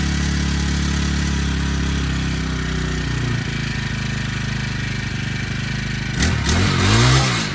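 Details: Honda Harmony FG100 small tiller, carburetor fixed after sitting: steady, even putter that revs up cleanly near the end without stumbling or misfiring; normal running.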